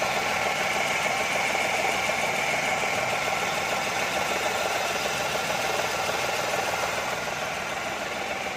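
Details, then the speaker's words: Renault Kwid at idle: a thin, steady, high whirring whine rides over the engine. The customer suspected the clutch bearing, but diagnosis found a worn alternator bearing. Alternator bearing noise. "इसमें भाई हमें problem पता चला इसका जो ये alternator का bearing है इसमें साउंड"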